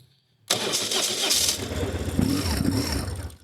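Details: BMW R1150 GS boxer cold start with choke (fast idle) raised on a cold day: short silence, then the starter spins, it fires at once and settles into a fast, even choke idle; starts cleanly.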